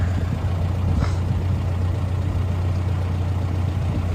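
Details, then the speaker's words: 2014 John Deere 410K loader backhoe, rebuilt 107 HP John Deere diesel, about 4,100 hours: steady low diesel rumble at idle, even and smooth with no knocks or misses; starts up and runs good. "Starts up, runs good."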